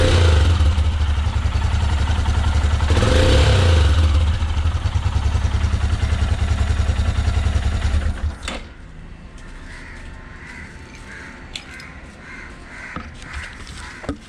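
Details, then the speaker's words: Royal Enfield Himalayan single-cylinder after new copper exhaust manifold gasket fitted; steady even thump with no puffing, popping or backfire before shutdown; no exhaust leaks, running healthy. "So that's how the exhaust note sounds. No leaking anywhere in the system, and that's how it should be."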